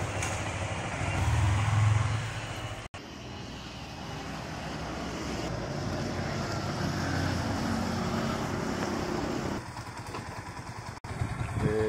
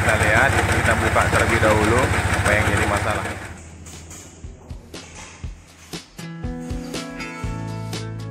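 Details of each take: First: 2019 Yamaha Vixion R after major service fixing rough engine noise from a damaged camshaft bearing; engine now runs with an even drone under steady throttle, no knocking or clatter, sounding normal as usual after repair. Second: 2019 Yamaha Vixion R during major service for engine noise: loud, rapid, harsh diesel-like knocking clatter; cause found as a failed camshaft bearing, with small particles found on teardown.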